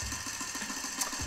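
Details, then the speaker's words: Laser 100 single-cylinder engine, first run after 15 years, idling at 1700 rpm: buzzy idle with coarse rattling shake, clunking and metallic grind; the front housing has come loose, oil and metal seeping behind the block, causing excessive vibration. "you can see lots of vibration that more want their engines always vibrate at idle anyway but this is more so because that fund of housing has already come loose now listen to that sound that doesn't sound quite right that's because there's some clunking going on there"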